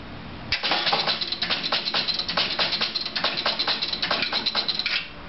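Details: Chicago Coin Sound Stage pinball: score reels clatter back to zero for about four seconds after Start is pressed, then the game shuts off; the left flipper brings the lights back, but it stays at game over. Cause unknown.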